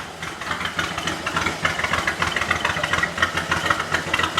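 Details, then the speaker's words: 1937 Chrysler Royal Imperial flathead six, barn find revived after about 40 years, points and distributor timing adjusted: settles into an even idle with light, regular ticking, no misses or stumbles; normal idle. "it's idling nicely we went through the gears on the lift"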